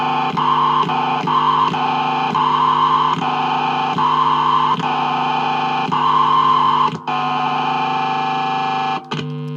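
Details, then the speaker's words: Vintage VS6 Strat neck pickup through amp with gain up: piercing steady squeal near 1 kHz pulsing over hum; microphonic pickup, speaker sound making the coil vibrate. "you can hear there so you can hear that that it's picking up the the speaker but it's not just that sort of feedback it's squealing feedback because it's making the coil vibrate"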